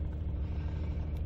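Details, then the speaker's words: 2012 Nissan Frontier, cold, right after throttle body cleaning for rough, high idle: fast, steady idle, deep even rumble with brief hisses; still idling high but smoothing, idle relearn possibly needed; ran smooth once warm. "Idol which is okay but start it up it's definitely running High still but it feels like it's smoothing out a little bit"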